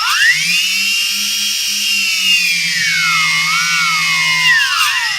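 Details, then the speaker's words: DJI Phantom 3S after tree crash and compass repair, ground test left-right, forward and reverse: high clean motor whine rising and falling smoothly with stick inputs, no roughness; motors healthy, test passed. "doing left-right checks now. Forward and reverse. And killing it. Alright, that's a success."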